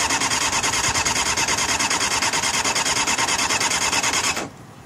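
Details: Honda CBR600F2 motorcycle: starter spins with a fast, even rasping whir for about four seconds and the engine never fires; cranks but won't start.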